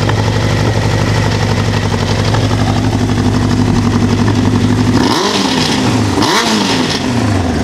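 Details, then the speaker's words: 1988 Honda CBR1000F Hurricane, recently serviced: after revs fall back, a light uneven clatter at idle comes and goes and is more pronounced after releasing the throttle. Cam chain noise that disappears with rpm. "you may have noticed after releasing the throttle later that the noise became a little bit more pronounced it kind of comes and goes at idle like i mentioned"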